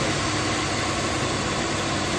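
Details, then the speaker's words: 1999 Acura 3.2 TL, 3.2 L V6, speed-density system: raised 1400 RPM idle, MAP about 4.2–4.3, with a steady airy hiss from a vacuum leak at an end cover; covering it drops idle to 1100–1200. Vacuum leak. "And the vacuum leak is right here off of that end cover, so you might be able to hear it."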